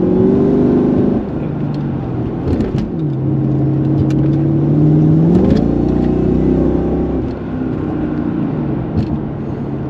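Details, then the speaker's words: Mercedes-Benz E55 AMG, 5.5 L supercharged V8, bought cheap with suspected throttle body or engine control fault: uneven, stumbling note that won't pull cleanly, flat whir under load; check engine light returns, car in limp mode, misfire. "Yeah, check engine came right back for sure. Oh yeah, now it's certainly in some kind of limp mode."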